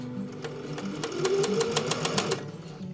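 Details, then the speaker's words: Sewing machine after cleaning and oiling with sewing machine oil to cure a squeak: quick even stitching clatter at about four strokes a second with no squeak; normal running after maintenance. "I'm squeak free it's done it okay now I'm gonna change my needle and get back to sewing."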